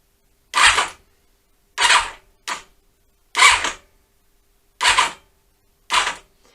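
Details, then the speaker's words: Honda CB-1 (NC27) being revived after storage: six starter button presses, each a sharp starter solenoid click and a brief whirr about a second apart. The solenoid engages normally. "if you don't get that clicking noise then chances are your solenoid needs replacing"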